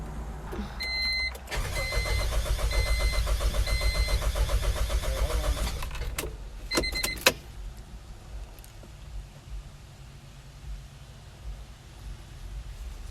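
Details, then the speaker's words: 1997 Honda CR-V after pressure washing the engine left water shorting the spark plugs and coils; steady fast cranking at about four turns a second for several seconds that never catches; crank, no start. "no it's not starting"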